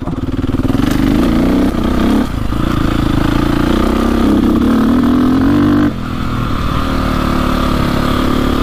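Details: 2002 KTM 450/400 EXC dirt bike, warmed up, ridden on trail and road; the single's revs drop out abruptly and return in first to third gear, sporadic power loss under acceleration, cause unknown.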